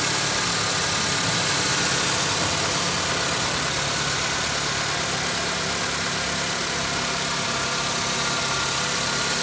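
Idling engine with a quick, fairly even tapping around three beats a second over a hissy background; source of the knock unclear.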